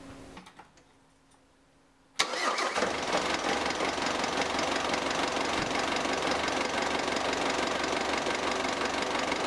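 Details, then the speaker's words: Mk5 Ford Transit 2.5 DI diesel in cold weather after fitting a new bigger battery: fires almost instantly and settles to an even, clattery idle; starter turns over much quicker, healthy start. "so since putting the new battery on i've definitely noticed a with it starting in the colder weather it starts much quicker the starting motor turns over much quicker"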